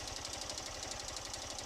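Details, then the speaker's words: Honda CG 160 2018 motorcycle at about 13,000 km, engine hot, idling and lightly revved: fast, even, sharp metallic ticking over the single-cylinder idle, present since new and louder when very hot; valve-train clatter suspected, cause not confirmed. "Tem hora que o motor tá bem quente cara faz muito muito mesmo o barulho né barulho de moto"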